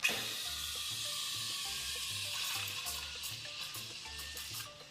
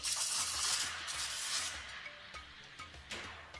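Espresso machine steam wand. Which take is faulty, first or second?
second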